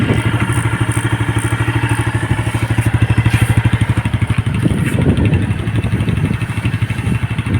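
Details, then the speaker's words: Yamaha Sight 110 motorcycle after connecting rod and side bearing replacement: even single-cylinder thumping at a fairly fast, high idle, with no knocking; engine now quiet, normal idle. "Okay, goods. Tahimik na yung makina."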